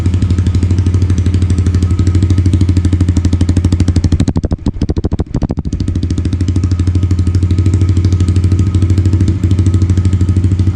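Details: 2022 Yamaha TTR110 pit bike with full Pro Circuit exhaust, just fired up and warming up at idle: fast, even single-cylinder pulses with a steady deep exhaust note, no skips or knocks; normal idle.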